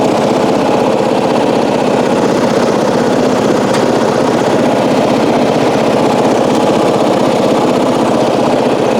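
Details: 1994 Coast to Coast riding mower with a Briggs & Stratton engine, revived after years abandoned, new spark plug, gas of unknown age, being driven: steady, even single-cylinder beat with no surging or sputter; normal running, though it does not self-start without a new battery.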